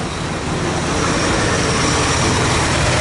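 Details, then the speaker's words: Dodge D100 stepside just started after a decade sitting: rough, loping V8 idle with a steady loud hiss over it; intake vacuum or air leak suspected, location not found; hissing air leak at idle. "we're getting gas and the gas tank looks like it's not too disgusting but i wonder where our air leak is coming from because i can hear it pretty bad"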